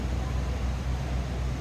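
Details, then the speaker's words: 1991 Cadillac Brougham, long-wheelbase rear-wheel drive, 5.7-liter V8, heard at the rear: low, even tailpipe rumble with steady beat, no misses or ticks; idles smoothly and sounds healthy. "Sounds like you'd expect a 1991 Cadillac Brougham to sound. Again, 5.7 liter underneath the hood."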